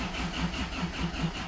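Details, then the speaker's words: 2005 Hyundai Trajet 2.0 CRDi diesel that was cutting out while driving and is hard to start: steady starter cranking, about five compression pulses a second, never firing; pump audible, owner suspects the injectors. "Celui-ci, bah, il y a du mal à démarrer. Bon, je suppose que c'est les injecteurs. Ah, bon, on entend la pompe, hein."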